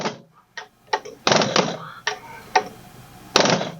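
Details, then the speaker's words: Injector 1 from a 1999 Mack E7 E-Tech with a misfire, on a pop tester: crisp rapid chatter and good spray and atomization, but it pops off at about 270, low and technically out of spec, though possibly not the misfire cause. "About 270. So opening pressure is low, but chatter is good. Atomization is good. Technically out of spec, but I'm not sure that this is the problem."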